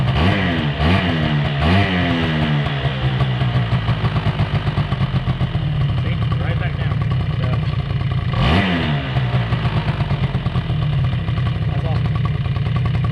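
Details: 2005 Polaris Predator 90 quad, two-stroke, after carburetor air screw adjustment and new battery, choke on: steady, even putter with quick blips settling back cleanly; idle now correct.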